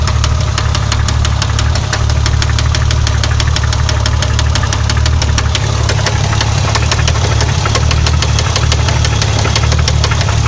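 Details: BMW 520i with M20B20 engine at idle: sharp, evenly spaced, deep metallic knocks about five a second, first suspected as valve noise but actually a spun No. 6 rod bearing from oil starvation.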